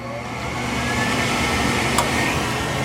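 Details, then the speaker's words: Heil furnace after a relay swap: the thermostat clicks, a short sequencer delay, then the inducer spins up to a steady, even whir with amp draw; normal inducer startup. "Okay, the thermostat clicked. There'll be a short delay on the sequencer on startup also. There's the inducer."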